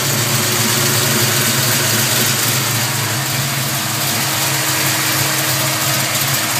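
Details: 327 small-block Chevy at idle: light, quick chirp over the valve clatter from the rear of the passenger-side valvetrain. Cause unknown.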